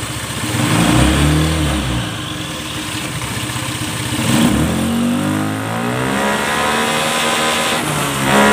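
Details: Honda Scoopy FI injection scooter after CVT setting, belt now climbing fully up the pulley: engine revs up cleanly, pitch climbing and settling smoothly with no slipping or flare; drive pulls properly.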